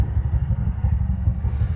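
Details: Bajaj BS6 petrol engine idling after repair for a failed crankshaft bearing (connecting rod was fine). Low even thumping idle with a steady beat, no knock or rattle: bottom end sounds healthy.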